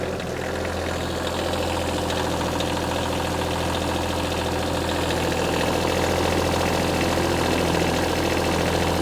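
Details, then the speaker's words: Small wheel loader diesel, first run after repair work, started using glow plugs: settles into a steady even idle with smooth low thrum, no knocks or misses; normal diesel idle. "It sounds like one of them little tractors. I'm gonna let this thing run a while."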